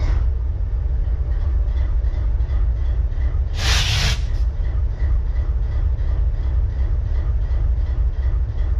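Deep, slow diesel idle throbbing about three beats a second with uneven pulses and a brief air hiss; sounds like a cylinder misfiring.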